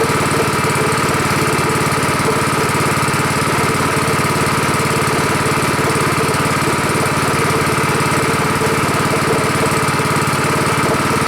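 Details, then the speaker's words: Rebuilt Honda 5.5 HP single-cylinder engine running outdoors after rebuild: slow low idle, even putter, no misses or rattles, lower than the other engine; normal healthy idle. "Seems to work pretty good. Idle's better than another one. Lower. That's good."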